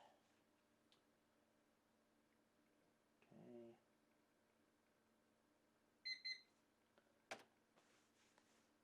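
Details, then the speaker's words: Dell OptiPlex GX110, Pentium III: short double PC-speaker beep passing self-test and booting normally; speaker sound differs slightly between units. "sounds like the pc speaker is a little bit different on each one"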